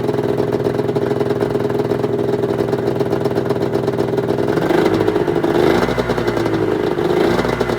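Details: 1996 Arctic Cat ZRT 600 two-stroke snowmobile after fuel pump rebuild and priming: settles into steady even idle, picks up smoothly when blipped and drops back cleanly; holding good after air bubbles, normal idle and rev.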